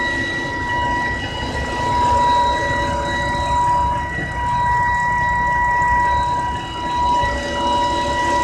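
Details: 2010 BMW E90 325i with an intermittent steady high whine, near 1 kHz, over the engine rumble; it goes away after restarting the engine but comes back the next day.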